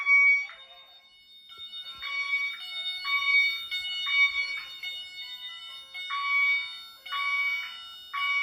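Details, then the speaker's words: Honeywell Wave sounder driven by a chime tone driver connected to the LINKS, tripped via smoke detector during fire alarm system test; half-second chime bursts roughly once a second, clean and steady: normal chime tone. "However, the reason why and I'm consider it relevant is because this particular wave is actually going to be used as a chime because I have a chime uh tone driver hooked up to it connected to the links. So, I'm going to be using that as the chime."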